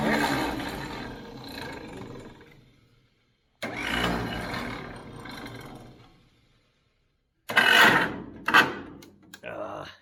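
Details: Pony motor on a 70-year-old 1950s barn-find D6 dozer gives three short bursts of weak, ragged sputtering that die between tries; owner guesses a stuck carburetor float emptied the bowl, causing fuel starvation.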